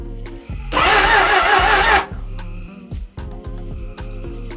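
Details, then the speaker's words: Non-running 1996 Suzuki Bandit 600 (GSF600S), first crank since it cut out on the highway: starter turns engine in slow, uneven chugs, never catches; compression seems present but low. Slow cranking, no start. "It turned over. It sounds like it has compression. It sounds low."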